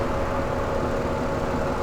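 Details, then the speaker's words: 2001 Chrysler LHS 3.5L V6, checked for valve clack 500 miles after adding TriboTex oil additive. Short stretch of steady, even idle under radiator fan drone, with no ticks or knocks; runs smoothly. "things are running really smooth"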